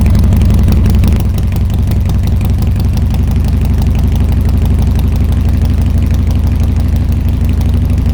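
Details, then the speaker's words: Harley-Davidson Twin Cam Dyna Glide (FXD), 39,000 miles, before repair, cold on choke: V-twin loping unevenly at low idle, about three beats a second, and revs rise when spray hits the intake, indicating an intake manifold vacuum leak; stalls when choke is reduced. "I don't know if y'all could hear that. When I was spraying it, you could hear the engine coming up"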